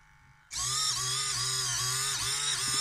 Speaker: you can kind of hear it struggling and do the tricky to see on the camera the whole things are sort of slightly vibrating I think what's happening there's the screws with the screw heads they're actually hitting down in here